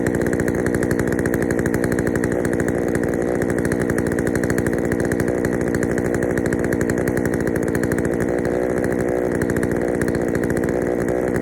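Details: Poulan 3000 chainsaw, brought in not running, serviced with old dirty fuel drained and fresh fuel added; now holds a steady fast idle with a slightly uneven, burbly note, running a little rich on the low-speed mixture, to be adjusted.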